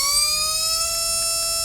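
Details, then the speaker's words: RC brushless motor on a SKYRC motor analyzer, described as a really nice motor whose phases aren't fighting; clean steady high whine rising slightly, quiet and smooth; normal brushless motor run. "this is a really really nice motor yeah which means the phases aren't fighting each other when it's in working you know when it's operating sounds nice and quiet"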